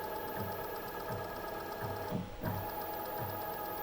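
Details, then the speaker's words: Bulkman3d QueenBee CNC stepper motor running: regular thumping pulse about twice a second under the hum, all axes affected; missing steps, drivers (DM542 and original) and motors swapped without change, owner suspects Mach3 config or faulty controller. "it's like missing steps it's not just this motor all the motors are like that"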